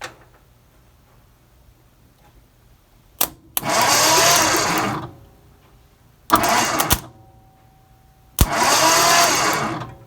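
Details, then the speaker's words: 1963 Mercury Monterey, not started since 1976: three short bursts of free cranking with the coil wire on a plug testing for spark. The plug sparks and is good; the condenser was the no-spark cause. "oh yeah all right so uh yeah this plug is good"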